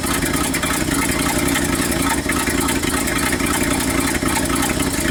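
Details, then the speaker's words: 1969 Ford F250 360 V8 just after Motorcraft 2100 carb rebuild, first test run, manual choke on, cold: steady low rumble with uneven, slightly hunting idle; untuned carb needs choke off and jet adjustment. "okay guys it's running but it needs to be uh a little bit tuning leave pull a choke off well it's running guys need make some adjustments though"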